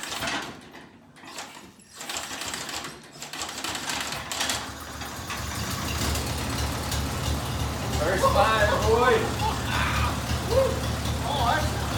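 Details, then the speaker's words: 1949 Farmall Cub, running after the sticking number-three exhaust valve was freed and magneto timing corrected by rotating the spark plug wires. After a quiet start it settles into a steady, slightly lumpy chug of about 3–4 beats a second. Normal running. "turned out it was just a big timing issue with the magneto we actually just rotated spark plug wires and here you go"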